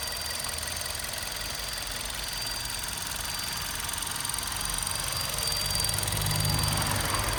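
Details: VW Golf 6 Comfortline 122 TSI, engine hot at idle: fast, even ticking of about three or four per second over the running engine. Source unknown.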